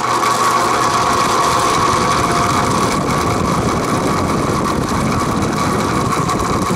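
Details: Vintage Penncrest (rebranded Lakewood) 20-inch 3-speed box fan, trash find stored six years in a shed, starting up on high: loose diesel-like rattling buzz over steady motor hum, persisting after repeated oiling; no motor play, blades tight, cause unknown.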